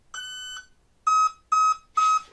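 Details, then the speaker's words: E-Flite Apprentice S 15e RTF electric RC plane, first transmitter/receiver test with prop removed, battery plugged in: one longer beep then three short even beeps, normal power-on tones meaning the system is armed. "it on and will give me the rest of the tones [Music] okay so that means that the the thing is armed"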